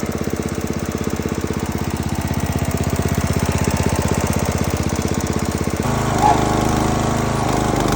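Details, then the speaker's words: Neglected Husqvarna zero-turn mower, 20 hp Briggs & Stratton single-cylinder, had milky oil, first run after PTO switch replacement: fast even tick about three per second over the chuff, then speed drops; sounds ticky, valve lash adjustment planned. "it does sound a little Ticky so we're going to have to go through this process here of taking this bracket off so we can get to the valves and and adjust those just adjust the valve lash not a massive deal"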